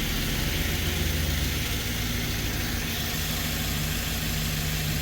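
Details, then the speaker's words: 2013 Ford E150 van with rough running and flashing check engine light, after replacing one melted spark plug, restarted after sitting about an hour: steady even low rumble with no stumbles, idling smoothly. "oh there you heard the motor making noise and it's only been sitting for an hour maybe it sounds smooth"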